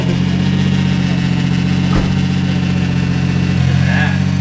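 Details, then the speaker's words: Engine idling with the idle air control valve unplugged and the throttle-body idle screw raised: a steady, even low rumble with no dips, surging or misses; a smooth idle, slightly high but not too high. "It's not as high. It's not idling that high. It's nice."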